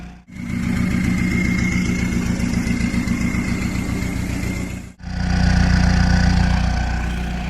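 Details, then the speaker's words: Peugeot 306 XUD turbo diesel at idle, heard at the exhaust: diesel clatter with slight rise and fall, less lumpy than before but still a mild hunt, pointing to air in the fuel system. Uneven idle from air in fuel. "You can hear it's taken a lot of the lopiness away from it, where it sounded like it was sort of surging a little bit, hunting for fuel on idle."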